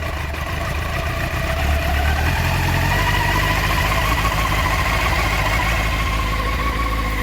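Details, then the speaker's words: 1989 Honda CBR600 (jelly mould) restoration, first start after carb clean and old fuel drained: in neutral, choke on, fast idle around 1,500 rpm, smooth and even with no stumbling; owner points out the tick-over adjuster. "Choke's on, but yeah, okay. I can adjust the tick over under here, somewhere here."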